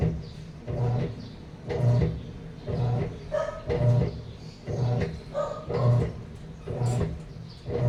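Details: Sharp automatic top-load washing machine, reported as not draining or filling, tested before repair: motor churns in steady strokes about once a second with no water sloshing; tub agitates dry, fill never triggers.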